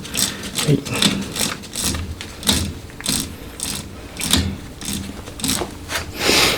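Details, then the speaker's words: Honda Monkey engine built to 124.4cc four-cylinder, oil pump chain drive: sharp dry clicking about twice a second at chain joint link; cause a worn, broken, stretched chain. "何かチェーンのジョイントリンク部分でカチャカチャ音がします。一回外して確認します。原因分かりました、単純にチェーンの劣化です。どうやら壊れて伸びたチェーン使っていたみたいです。"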